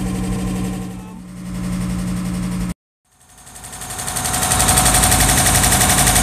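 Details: Toyota Crown Wagon GS130G with a swapped 1UZ-FE V8 idles with a fast, steady metallic clatter about four beats a second; it is running without oil pressure, cause unknown.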